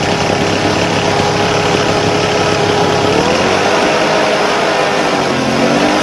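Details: Engine-driven fertilizer spreader/blower that would not start, after carburetor repair with the hardened diaphragm replaced; loud, even two-stroke buzz holding steady, pitch shifting smoothly with throttle without stumbling; runs clean and healthy.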